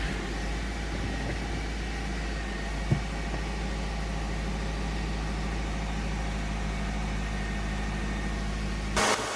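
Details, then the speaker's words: 2008 Subaru Outback, EJ25 non-turbo 4-cylinder, 5-speed manual, about 96,000 miles, cold and warming up in closed loop; smooth, steady low rumble with no misses or knocks, normal idle before a failing ignition coil causes hot stalls. "all right so this is what I call the happy idle state so basically the engine's cold it's kind of warming up if you use a scan tool you'll see it quickly enters closed loop um so it's maintaining its air fuel ratio everything seems to be normal at this point"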